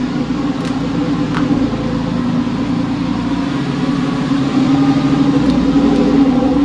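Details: Porsche 911 996 C4S M96 engine idling months after an earlier ticking noise, with no repair done: a steady, even hum with no ticking. The owner believes it was a sticky lifter.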